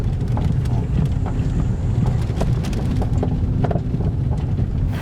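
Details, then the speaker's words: Peugeot 3008 with THP engine on a road test; irregular dull knocks from the front suspension over bumps under road and wind rumble, a worn upper strut mount. "então o pessoal agora a gente vai sair para andar com os peugeot 3008 né para escutar o barulho"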